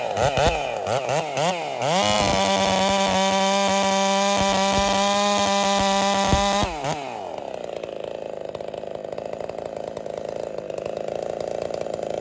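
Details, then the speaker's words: Ported Husqvarna 372 clone chainsaw (Holtzfforma, 94 exhaust port), repaired with new bolts after bolts broke: blips, then a strong steady high scream dropping to a lower rasp as it cuts wood, pulling cleanly; running fine. "but as you can see she's running just fine all I did was put new bolts in it"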